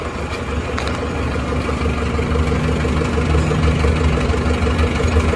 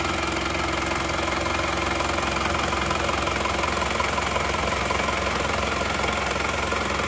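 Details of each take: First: Isuzu Panther LS automatic diesel on its 4th engine failure in 7 months, first cold-morning start after a failed start the day before. Deep lumpy idle with inconsistent, uneven firing and exhaust smoke. Rough idle. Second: Isuzu Panther LS automatic diesel, after fourth engine overhaul in 7 months, started after replacing aftermarket 13 mm racing rotor head with correct one: even, steady idle with smooth regular beat, no miss, far less vibration than before; normal diesel idle.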